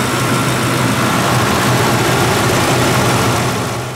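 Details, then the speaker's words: Ford 2-valve 4.6 V8 after new Dorman intake manifold and new thermostat, warming up: smooth steady fast idle about 833 rpm, expected to drop lower once warm. "What are we running at for RPM? 833. I think it's still kind of on a fast idle. It should probably drop down a little bit."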